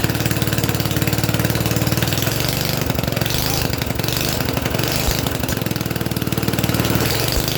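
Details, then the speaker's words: Mini tractor small single-cylinder engine, first start in 13 years, no exhaust fitted: loud raw open-pipe popping at steady fast beat, no knock or rattle; healthy, loud only from missing exhaust, shortly before a suspected snapped conrod. "the engine actually ran and sounded quite nice. What do you think? Do you think she ran and sounded nice? Considering it's got no exhaust on, that'll be why it was a bit loud."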